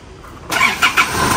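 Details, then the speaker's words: Car that was cranking long and would not start, after fuel was found not flowing at the pump and a leak was fixed; restarted after sitting a while: short crank, catches within half a second, even run, long crank cured. "อุยจบแล้วนะครับลากยาวไม่มีแล้วนะคันนี้จบล้านเปอร์เซนะครับ"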